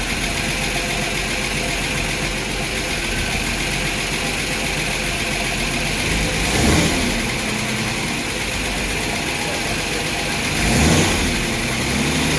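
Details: Ford inline six in a Willys sedan delivery, first start 15 years after install, with a rebuilt carburetor and a cleaned stuck choke, timing not yet set. Steady idle with light, fast tapping riding over it; the lifters are suspected noisy.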